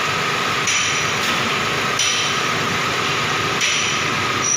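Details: Petrol car idling steadily with an even hiss and whir, no stumbling or RPM dips, after replacing the cylinder 2 spark plug and high-tension cable; check-engine light and RPM fluctuation resolved.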